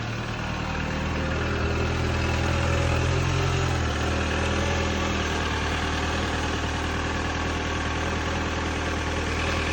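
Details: R56 Mini Cooper N12 petrol engine at cold-start idle: hollow, regular knocking rattle over a steady low hum; piston slap suspected, not confirmed.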